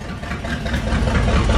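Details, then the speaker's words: 1978 motorhome 440 big-block V8, unrun for years, for a 1974 Plymouth Cuda, first start on custom engine run stand, choke wide open, cold warming up: deep, even rumble, steady firing, no knocks or misses; normal idle. "oh my god i'm so freaking excited right now it's idling no way we got the choke wide open right now we're just going to let it run for a second and uh kind of warm up"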